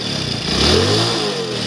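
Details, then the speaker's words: Hero Passion Plus motorcycle after tappet (valve clearance) adjustment: short rev with even, clean rise and fall and no top-end ticking; engine now smooth. "Setting करने के बाद देखो engine का sound होता है एकदम smooth हो चुका हुआ"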